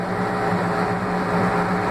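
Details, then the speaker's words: The Laundry Alternative mini automatic washer spinning (owner thinks about 850 RPM intermediate spin); even low drone with steady hum, no thumps, scraping or rattles; phone may exaggerate noise; normal quiet spin cycle. "E como vocês podem ouvir, a máquina está silenciosa, talvez o meu telefone faça parecer mais ruidosa, mas ela é muito silenciosa. Só estando ao lado dela para entender como ela é silenciosa mesmo."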